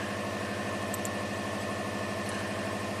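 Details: 2005 Subaru Legacy Turbo, 82,000 miles, running with the alternator unplugged while coil and crankshaft sensor signals are scoped: steady, even idle pulse at unchanging pitch, no misses or stumbles; runs smoothly, with clean coil ramps.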